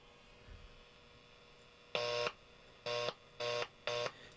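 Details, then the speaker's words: Hallicrafters S-118 receiver, failed after months of use: received audio cuts in and out in short bursts with dead gaps as a tuning capacitor plate, with dirt in it, shorts and kills the oscillator; plate bending didn't fully fix it. "It's still hitting somewhere. There's dirt in there. See, it's killing the oscillator."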